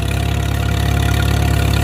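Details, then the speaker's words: Farmall M tractor running after a fuel bowl refit, with an inline fuel filter: a smooth, even low chug with no stumbles, running normally. It later quit from a poorly crimped wire. "Let's take it for a shake, see how it runs. Sounds good. I don't know. I mean, I think it runs"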